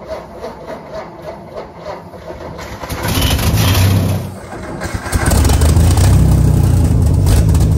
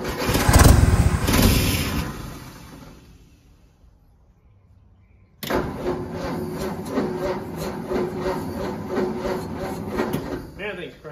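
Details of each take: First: 1952 Ford F1, 215 OHV inline six, barn find stored for decades, overfull carburetor bowl: cranks unevenly about three seconds, catches, dips, settles to steady low idle; starts reluctantly, likely running on spilled-over fuel, cause unconfirmed. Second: 1952 Ford F1, 215 OHV inline six on six-volt system, long-stored: unhurried cranking, a pause, then an even chug about three and a half beats a second; slow cranking is normal for six volt.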